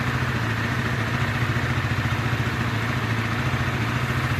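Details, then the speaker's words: Motorcycle at 85,000 km with the cover left open, after crank and balancer bearing work: fast idle with a rough, gritty rattle. The cam chain is worn and has never been replaced, and is due to be replaced. "Ini masih kasar teman-teman. Nah masih kasar, ini disebabkan oleh rantai keteng teman-teman. Rantai ketengnya juga udah lumayan aus teman-teman ini. Ada suara ngasreng kayak gitu."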